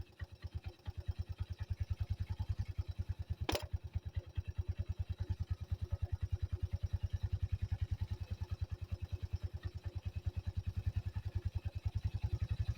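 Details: 1985 Yamaha Moto 4 ATV after old carburetor replaced with a new one; steady single-cylinder putt-putt about three beats a second with one stray click: normal idle.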